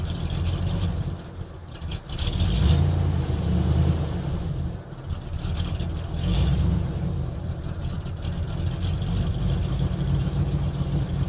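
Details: 1983 Oldsmobile petrol engine idling unevenly, deep rumble swelling and sagging instead of a steady beat; finding: rough idle.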